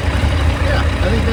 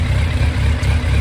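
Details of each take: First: 2001 Yamaha FZ1 four-cylinder, hot engine after carburetor rebuild for fuel leaks and synchronization: steady even low burble at warm idle, no hunting or stumble, cylinders balanced. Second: 2001 Yamaha FZ1 four-cylinder after carburetor rebuild for fuel leaking, warmed up with choke off: slightly uneven, lumpy idle; intake vacuums differ between cylinders, carbs out of sync before adjustment.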